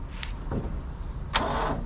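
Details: Small engine starting on a weak battery after a VTOMAN 2000A jump starter was removed: sluggish, labouring crank with low, uneven churn and no catch.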